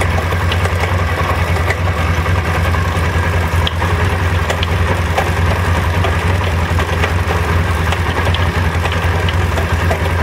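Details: SMC 250 at steady low idle with uneven light metallic rattling; owner suspects a rattling chain.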